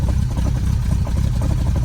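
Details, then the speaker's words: Lotus Elan restomod petrol engine, cold, idling very rich on full choke while warming up: rapid irregular knock from the carburettor base hitting the top of the footwell, not yet fixed. "that knocking you can hear is the bottom of the car hitting the top of the footwell we'll fix that one day"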